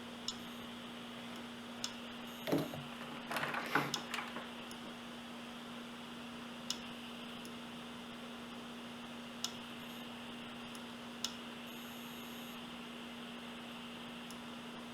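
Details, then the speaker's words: Samsung Spinpoint 80 GB IDE hard drive with landing-zone parking; steady hum broken by sharp isolated clicks every second or two as the head goes to the edge and repeatedly fails to read a track, click-of-death failure. "so there we go that's our failure it just does that over and over again it's failing to read a track right about there"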